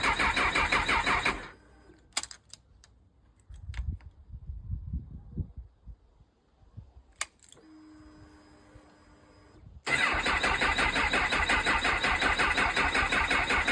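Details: Honda CB1000R with Dynojet system, owner's phone clip of intermittent no-start after collection: catches and runs briefly, silent through more attempts, then fires again.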